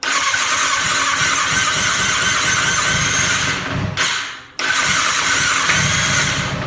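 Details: 2007 Kawasaki ZX6R, repeatedly wrecked, wouldn't start except on starter fluid; fixed after professional injector cleaning and new fuel pump, suspected water in tank from bad seal: fires with crisp, even high-pitched note, brief dip, then settles and pulls cleanly.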